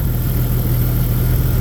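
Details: Jeep Grand Cherokee 4.0 straight six, head refitted, new radiator, still warming up: deep, even idle, smooth low rumble, no lifter ticking from top end; healthy.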